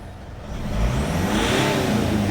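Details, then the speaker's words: Mitsubishi Pajero Sport KG4 with 4D56 diesel, had black smoke and poor acceleration, after intercooler pipe replacement: free-rev climbs quickly and cleanly with smooth rising whir, no bogging; turbo boost now rises fast, normal response. "อันนี้เร่งแต่แป๊บเดียวก็รอบขึ้นเลยนะครับ"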